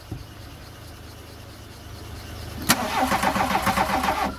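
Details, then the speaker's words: Classic VW Scirocco, first start after sitting six years: slow steady cranking nearly three seconds, then catches with a sharp bang and runs rough; hard start, ignition timing suspected to be slightly off, fuel pumps possibly blocked breather. "oh that fired okay oh oh close very close that we had we had uh combustion then I could hear it the timing might be a touch off"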